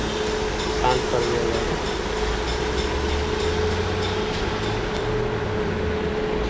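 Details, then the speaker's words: Petrol engine idling steadily and evenly with no skips after a customer's misfire complaint (system too lean bank 1 code); spark plug was short and body was dirty, cleaned and fixed, misfire now gone. "इसका finally pack हो चुका है यह गाड़ी आपकी गाड़ी में missing नहीं है"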